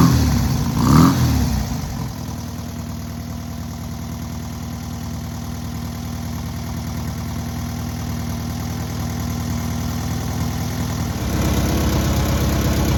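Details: Newly rebuilt air-cooled VW 1600cc engine at its first start and break-in: a quick blip, steady idle and clean pickup near the end with no knocks or stumbles; normal idle and revving.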